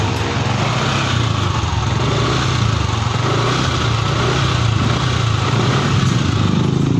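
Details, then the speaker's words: Yamaha NMAX 155 scooter after fuel pump replacement (previously cranked on a good battery but wouldn't start): small single-cylinder engine idles steadily and evenly with no misses or stumbling; running normally again. "oke, motor kembali normal lagi teman-teman. Sudah hidup, sudah normal, dan sudah bisa ngacir lagi."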